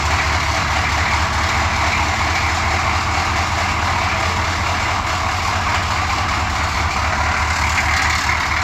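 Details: Suburban 6.2 diesel after cold start, small oil and coolant leaks noted: steady, even diesel clatter at idle with no misses, knocks or surging; runs like a top, healthy.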